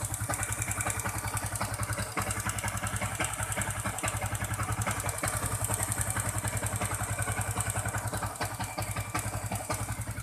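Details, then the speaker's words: Newly acquired Yamaha Jupiter MX King 150cc motorcycle, body panels removed, idling with a harsh, clattery beat, much rougher than stock, with the radiator fan running as soon as the ignition is on; rough running from valvetrain wear. "begini kondisinya ya suaranya kasar ya sangat kasar sekali tidak seperti aslinya"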